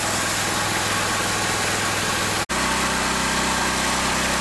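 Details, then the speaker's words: Pressure washer at full engine speed with 6.0 tip, unloader valve at max: loud steady engine drone with constant spray hiss, even rhythm without misses; running normally. "is full engine speed with the 6.0 tip. The unloader valve is still at max."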